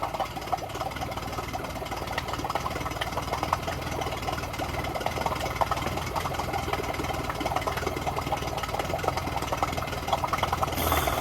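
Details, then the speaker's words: Yamaha 9.9 hp outboard in a test tank, runs only with choke pulled out, primer bulb won't decompress; low, uneven putter barely idling with irregular firing, fuel starvation suspected, no fuel getting through. "As it was cutting out, I quickly pulled the choke out, and sounds like it's just about idling. But yeah, it's all about the fuel. There's no fuel getting through."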